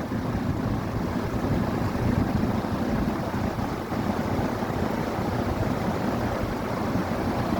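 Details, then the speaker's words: New belt on 40-inch Maxx Air Pro Flex drum fan (garage-door-opener pulley drive, belt tension questioned) running at high speed: steady, even rush of air with low rumble, no knocks, ticks or squeal; runs smoothly and powerfully, normal running. "Feels nice though. I like the speed. I like this speed, but now having a nice, powerful, high speed, that really helps it out."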